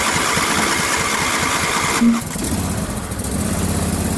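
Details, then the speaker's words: John Deere LA150 twin-cylinder lawn tractor nearing 300 hours, cold, first run with new fuel filter, plugs and oil after a fuel-starved no-start: quick rhythmic starter chugging about two seconds, then fires into slightly uneven cold idle. Cranking before engine catches. "so this will be the first time it's run with new fuel filter uh plugs and oil it's being tricky for some reason"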